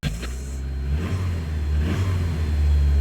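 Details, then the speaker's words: Ford Capri XR2 four-cylinder, now on all four cylinders instead of three: revs climb smoothly and evenly with no stumble or shaking; normal revving. "Oh yeah. Just revs so much better."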